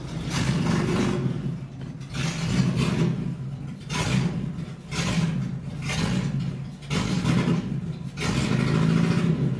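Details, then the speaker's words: Salvage-auction Jeep Cherokee, catalytic converter cut off and running rich; engine stumbles and sputters on each throttle blip, breaking up badly; spark later tested good on all coils, owner suspects a loose wire since dash lights blink with engine movement. "It's breaking up bad."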